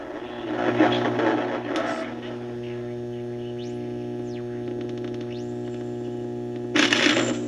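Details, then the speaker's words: Emerson R167 tube radio, circa 1937–38, not recapped, signal tracer at the type 41 plate: a steady hum with whistles sweeping up and down in pitch. Serious birdies; the output transformer and tubes are still to investigate. "videos got some serious birdies you can tail but"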